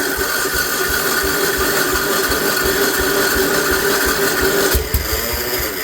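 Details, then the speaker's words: 1958 Wisconsin AENLD engine salvaged from a street sweeper, electric-start attempt: sluggish, uneven cranking thumps about 160 a minute that never catch; owner suspects a weak battery needing a charge, or the starter getting weak. "ah batter is not having it this it doesn't show signs of wanting to have it whatever it may be or the starter could be getting weak"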